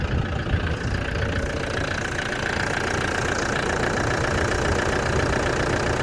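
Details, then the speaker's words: Truck-camper engine idling after service with air filter changed: even, steady diesel-type idle with a regular beat and no belt squeak or squeal; engine idling normally. "Sounds good, no squeak. Air filter's been changed as well, so that's good."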